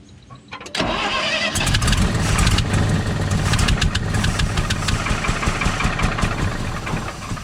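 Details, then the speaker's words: 1968 GMC C60 that sat for an unknown time, not running, fuel tank contents unchecked: brief crank, then it catches into a rough, uneven idle; runs after long storage, condition still unknown. "So that's a pretty positive sign. Pretty stoked about that."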